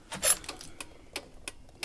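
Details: Triumph Rocket 3 motorcycle with intermittent electrical faults, ignition on and engine off: sharp, uneven clicking, about seven in two seconds, from a non-factory relay down by the wiring, not the indicator relay.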